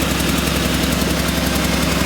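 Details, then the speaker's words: Buick Reatta engine idling warm with a quick, even ticking puff several times per second; exhaust leak, location unknown. "Uh anyway, I don't know where the exhaust leak is, but it it now I just hear it"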